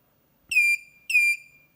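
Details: DatouBoss 1500W 24V inverter converted to lithium, low-voltage cutoff being lowered from 20 V to 18 V, supply dropped near 18.2 V: two short shrill beeps half a second apart, low-battery warning while running.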